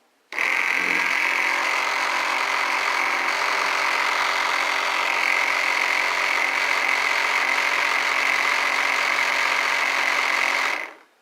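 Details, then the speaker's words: Bench test of a 125 W 24 V electric bike motor, downsized for range from a motor thought to be 750–1000 W, bracketed to a gearbox and not yet balanced: loud steady gear whir with rough metallic edge, noise coming from the motor-to-gearbox coupling. "it works pretty good all that noise is coming from where the motor couples to the gearbox"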